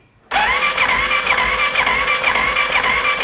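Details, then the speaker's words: 2015 Polaris Sportsman 570 EFI, said to have a blown motor and left outside for years, cranking during a compression test: a steady starter whine with even pulses about twice a second. It reads almost 60 psi, possibly with a cam decompression mechanism, and sounds healthy. "yeah it's about about almost 60 PSI so I think we're pretty good there doesn't sound bad"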